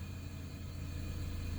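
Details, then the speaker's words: 1996 Toyota Camry sitting about five years as a non-runner, just restarted after fixing a ceramic-housed fuse: steady, low, even idle rumble, no knocks or misses; normal idle. "and i am not kidding you folks this thing started and ran almost momentarily that well"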